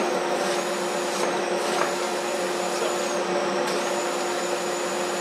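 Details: Dust collector drawing through newly ducted, homemade blast gates with the gate open: steady rushing air with a constant whining hum, no rattles or surging. Airflow is normal.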